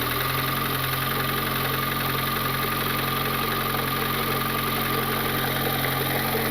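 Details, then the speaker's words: Turbo Honda Civic R18 after blowing the engine, first start with spark plugs and coils in and the valve cover off: a fast, fairly regular tapping knock over the idle while the timing chain kicks up a lot of oil; the knock seems more around cylinders 3 or 4, source unconfirmed. "Okay, so you heard the knock a little bit, and the timing chain is kicking up a lot of the oil."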